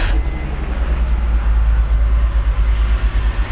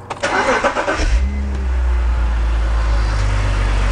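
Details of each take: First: E46 BMW 3-Series with coil-on-plug ignition, sporadic misfire on startup: lumpy cold-start idle with the exhaust beat dropping out unevenly. Power balance test shows cylinder 4 not contributing; misfire. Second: E46 BMW 3-Series with a sporadic misfire on startup that set a code, coils swapped back: cranks briefly and settles into a smooth, steady low idle with no stumbles. No misfire heard; the problem seems to fade as the engine warms up.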